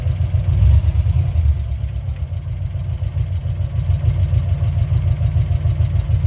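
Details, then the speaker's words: 1957 Chevy 5400 truck pulling away gently in first gear, two-speed control not working: deep steady growl with a little whine from the straight-cut first gear under load; normal gear noise, nothing wrong. "the the growl you hear the little wine is the straight cut first gear"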